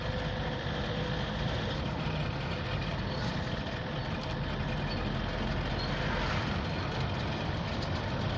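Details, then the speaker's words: Toyota D4D pickup diesel with a rebuilt manual gearbox on an old vehicle. Even drone under load with no whine, knock or grind through the run. The gearbox sounds healthy. "ይሄን ይመስላል እንግዲህ በጣም ይቀበላል። ማርሹ አሪፍ ነው። በጣም ቆንጆ ነው።"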